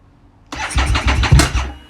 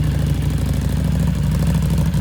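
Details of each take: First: Harley Street 500 chassis (17k miles) with a fresh 750 engine (60 miles), tried after raising the IAC steps: it catches with a ragged second of firing, then fades and stalls. Owner thinks the engine displacement setting needs turning up. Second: Harley-Davidson Street 500 chassis (17k miles) with a fresh Street 750 engine swap, only 60 miles, newly tuned with FP3: even, steady V-twin idle, smooth low rumble, no misses or surging; purring like a kitten, normal idle.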